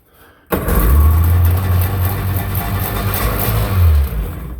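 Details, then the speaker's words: 1997 Sea-Doo GTX personal watercraft, 150 psi both cylinders, about 214 hours on gauge: silence, then fires instantly without choke or starting fluid and holds a steady, strong low burble; normal start and idle. "she fires up now without even choking it she's getting gas i can't be certain if that gas is actually any good but it's it's good enough to fire it up"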